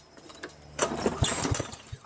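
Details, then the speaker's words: Toro SR4 mower with Loncin clone engine, auto choke: a pull gives a few ragged firing pops that sputter out; intermittent hard starting, owner suspects the choke or its spring. "See, now it won't start. See how it starts like a little bit like that? Might have to do with the choke."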